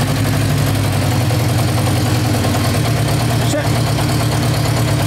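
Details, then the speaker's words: Yamaha motorcycle that cuts out as soon as the choke or throttle is touched, before carburettor cleaning: settles into an even, steady idle with no misses or hunting; carbs suspected, electrical not ruled out. "the choke sounds nice though do it didn't it sound nice"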